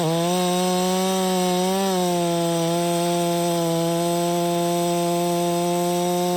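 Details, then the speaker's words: Stihl MS 660 chainsaw, 32in bar, cutting pine after carburetor and air filter cleaning fixed its failure to hold idle: steady even two-stroke buzz with one small dip near two seconds, then smooth; running healthy. "I know it's just Pine but that was pulling it no problem the whole entire 36 32in bar"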